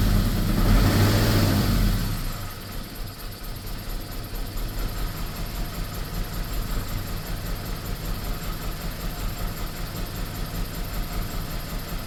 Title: bmw e46 318 rough idle and misfires. #diy #mechanic #test #autofixing #bmwe46